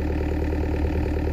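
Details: DX63 6.5-ton excavator that stopped suddenly three weeks earlier on a hillside, restarted after resetting a shaft turned 180 degrees: low, even diesel chug with a steady beat and no misses or knocks. Normal idle.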